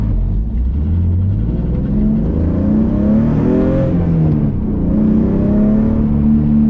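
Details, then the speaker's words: BMW E46 M52 with aftermarket headers, muffler delete and a scrap resonator (possibly from an X3) added, driven at higher rpm at low speed: clean rev-up then smooth drop off throttle, no crackle or pops; louder than before but clean exhaust. "much better so far definitely louder than it was but I could live with that"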